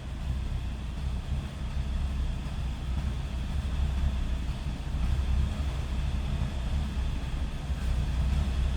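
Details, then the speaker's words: 1966 Cadillac Eldorado convertible with a 429 V8, just after a cold start, heard from behind at the exhaust: a deep, steady low rumble with no knocks or misses. A smooth, quiet, normal idle. "quiet for a 66 Cadillac with a 429 in it."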